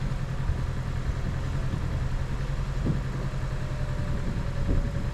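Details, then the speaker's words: 2011 Chevrolet Cruze, brand-new engine with about three minutes of run time, turbo just installed: low idle with an occasional skip; cylinder 2 misfire reported on the previous run, its plug looked never fired; owner suspects low compression on cylinder 1 or 2. "when i had it run the most most recently it said cylinder two misfire i pulled the plug the plug didn't appear to have ever really fired of course it didn't got but three minutes of run time on it"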